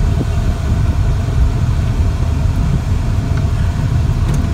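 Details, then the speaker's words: 1972 Dodge Dart with a Mopar 7 1/4" rear end, test drive after replacing both axle bearings and seals to cure a whine: only low, steady road rumble with no whine rising with speed. The rear axle is now quiet. "i think i've convinced him that that's what it was we don't hear her whining anymore"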